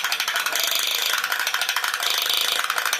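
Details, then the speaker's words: Vintage TV-version walking Space Robot toy with all-plastic gears, earlier repaired for cracked or slipping gears: fast light plastic clicking and ratcheting with faint motor whir; gear train running normally. "But listen to that clicking, isn't that cool?"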